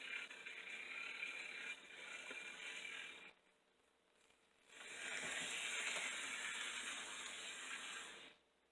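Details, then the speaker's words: Old model locomotive (060) motor after oiling the bottom bearing and refitting the shell: light, even high-pitched hiss with short gaps, no knocking or grinding; quieter in forward motion, repair successful. "he sounds a lot quieter when he goes in forward motion"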